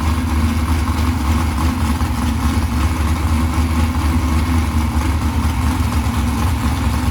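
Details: Ford 351 Cleveland 409ci 769hp engine on a Mighty Mount run stand, starter on a bolt-on bracket without bell housing, running after starter grind troubles; smooth, even deep steady rumble, no ticking, knocking or stumbling, healthy, with good oil pressure.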